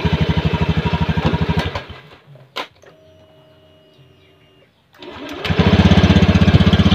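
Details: Honda Scoopy (ACG starter) scooter: small single putters steadily about four beats a second, stops, restarts and settles into even idle.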